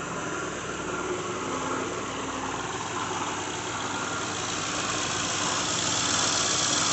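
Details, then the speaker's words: 2006 Lincoln Town Car, just started cold: steady idle with fast, regular tinny rattle about four a second, audible outside the vehicle; bad harmonic balancer, after coil packs, plugs, pulleys, alternator, belt and cam sensor failed to fix it. "You can hear it rattling right now. There, you have a bad harmonic balancer."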